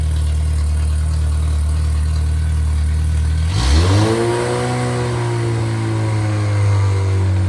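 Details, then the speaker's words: Freshly rebuilt MG Midget/Triumph Spitfire 1500 performance four-cylinder (shaved head, flat-top pistons, enlarged intake valves, 270 cam): an even low idle, then a smooth rev that climbs and settles with clean firing and no knocks; normal revving. "So I'm going to let I'm going to run it, let you hear it per I'll speed it up a little bit so you can hear that."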